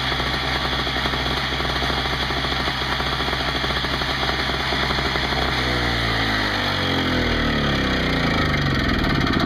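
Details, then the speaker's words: Craftsman 5hp 21-inch two-stroke snowblower after carburetor cleaning for leaks and new inline fuel filter, with 20:1 fuel mix: fast steady two-stroke buzz changing speed smoothly without stumbling or surging; runs fine, no leaks. "shut her down i don't want to smoke out downstairs here sounds good no leaks i think we have a winner"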